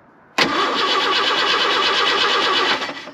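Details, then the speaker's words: Jeep J-10 with Ford engine and 5-speed, starter repaired with a sleeved shoulder bolt, on a not-quite-dead battery with clipped-together wiring and no ignition hooked up: quick, even cranking for about 2.5 seconds, no grinding; the starter engages cleanly. "there we go starter's fixed that sounds better than ever has at least since i've owned it"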